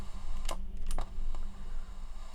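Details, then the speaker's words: 1979 Sanyo M7700LG mini boombox on a bench supply drawing 70 mA at first power-up; sharp pops over a low hum/hiss from one speaker, which outputs audio; owner suspects the volume pot, unconfirmed. "I'm getting a little bit of crackling the speaker on this side I mean this side appears to be actually outputting audio it's popping"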